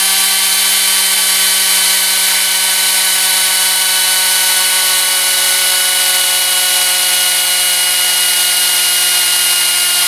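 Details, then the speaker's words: Homemade Tesla turbine on compressed air from 10 gallons, pressure falling through about 30 to 25 psi: steady high whine with a strong airy hiss, even speed and no rubbing; still making good torque at low pressure. "25 psi i say well done guys sounds like it's running really really well sounds like even down here at very low pressure because it's still creating quite a bit of torque"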